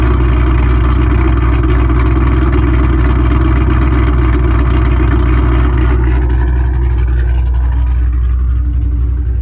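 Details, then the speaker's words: Mustang 3-valve V8 just after cam install on both sides: steady, fast idle with an even, lumpy beat that sits a touch high and never settles lower; idle slightly elevated. "Still idling a little bit high, but still, it's already where it's at, you know."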